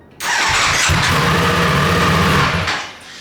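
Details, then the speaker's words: Rebuilt wrecked 2024 Ducati Panigale V4 after replugging an unplugged harness wire: cranks, catches, runs hard about two seconds, then revs sag and it stalls whenever throttle is opened; major oil leak also present. "as soon as I try to give it gas it kills itself it sounds crazy it sounds it sounds good yeah all right I actually considered that a pretty big success that it cranked up it's running it just won't stay running"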